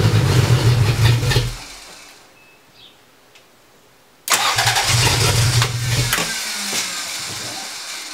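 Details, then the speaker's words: Barn-find 1980 Toyota Celica Supra, unstarted for years, new battery fitted: starter cranks at a steady rhythm, stops, cranks again, but it never fires; owner suspects the fuel pump, later replaced but probably needing priming; crank no start. "we couldn't get it started pretty sure it was the fuel pump I removed it"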